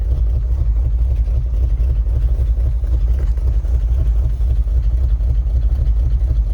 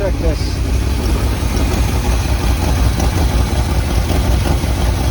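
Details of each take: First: 1978 Chevy K20 4x4 Camper Special V8, first run after 13 years sitting outside: a deep, slow, lumpy idle with uneven pulses, set very low. Oil pressure is good; charging is uncertain at such a low idle. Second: 1978 Chevy K20 4WD Camper Special V8, sat outside 13 years, restarted after cooling down, more transmission fluid added: low, fairly even idle with slight lope, no misses; smoking stopped, engine running much better.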